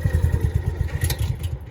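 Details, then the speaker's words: Kawasaki FE290 on a John Deere 1200A bunker rake that runs on choke but dies when the choke is pushed in: a lumpy, stumbling low idle fading out. Fuel starvation; carburetor suspected, found severely varnished. "And basically you pull the choke out and crank it. It runs pretty good until you push the choke in."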